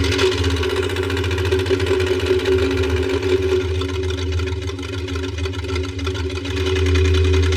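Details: 1973 Buick Electra 225, 455ci V8, first run in decades: lumpy stumbling idle with a loping uneven beat, running on about 4 cylinders, a clear misfire.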